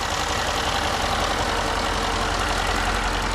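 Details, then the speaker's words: Range Rover L405 diesel, running extremely rough, after cycling ignition to prime fuel lines: catches and runs unevenly for the first two or three seconds with a lumpy beat, then steadies. "no it's been rough it's been doing that for you see the rough for two or 3 seconds"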